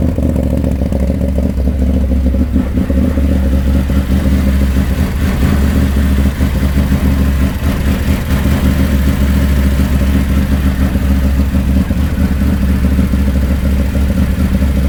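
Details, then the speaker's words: Can-Am Maverick 1000 with the CVT removed: a steady, even idle with low rumble and clean throttle blips, no knocks or clatter. The maintenance light went off and the engine sounds healthy. "You know what's interesting is the maintenance light went away. I mean, it seems pretty good."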